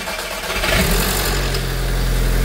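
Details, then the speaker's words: Audi S3 2.0 TFSI first start after major service: cold start, cranks briefly, then a smooth steady idle with no rattle or clatter; variator expected to be audible until oil pressure builds, but the engine is quiet, just whispering. "Da, dobro, to zbog gore, ali nije bučan uopšte motor. Samo šapući."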